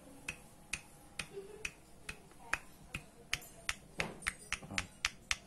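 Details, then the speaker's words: Yamaha Soul GT 125 crankshaft removed, cold, rod rocked by hand during overhaul: sharp metallic clacks about four a second from big end; connecting rod play confirmed, rod must be replaced; bearing also loose. Engine had rough noise at idle rising with revs. "Ya, positif. Jadi stang piston atau stang severnya ini kocak. Oke lah, wajib ganti ya."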